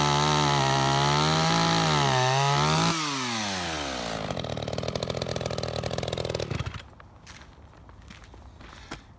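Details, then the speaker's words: Roughly 31-year-old Echo CS-550EVL chainsaw, tuned to the maker's 9,000 rpm, warmed up five minutes, sharpened chain: crisp, steady full-throttle scream holding clean into the cut, then winding down smoothly. Healthy, well-tuned saw. "I told you guys these are badass chainsaws everything on this chainsaw works just like it did 31 years ago it cuts like brand-new"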